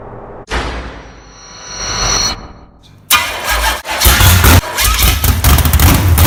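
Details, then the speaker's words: Freshly built low-buck 454 big-block from a stock short-block with a thumper flat-tappet cam, broken in earlier that day. It catches and settles into a loping, uneven, deep-rumbling idle. Normal big-cam idle. "so there she is guys Milo Bach 454 she runs awesome"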